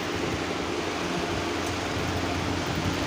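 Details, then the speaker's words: Old pedestal fan motor after replacing its worn, loose bushes (rotor slightly loose but fine): smooth, even airy whoosh with no rattle, squeak or wobble; normal running, earlier noise gone. "ये देखो कोई किसी किस्म की आवाज़ नहीं है। इसका साइज़ लूज, बुश की वजह से इसका साइज़ लूज था। बुश हमने चेंज कर दिए।"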